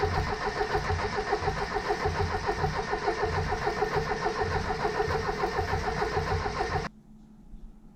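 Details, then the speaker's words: 1977 Triumph TR7 fed from an auxiliary fuel tank: starter spins engine evenly about seven seconds with no firing; cranks but won't start, owner suspects fuel isn't reaching the carbs. "So, didn't even make an attempt to start there. I don't think somehow the fuel is getting through to the caresses."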